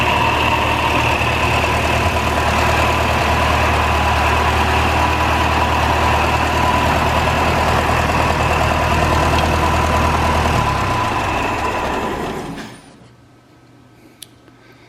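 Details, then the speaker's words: 1949 Ferguson TO-20 tractor, Continental Z120 four-cylinder, first run after sitting 15 to 30 years, no coolant in it; loud rough idle with a constant high whine, owner suspects bad generator bearings. "that is fantastic wow sounds like the generator bearings are really bad though that sounded pretty rough"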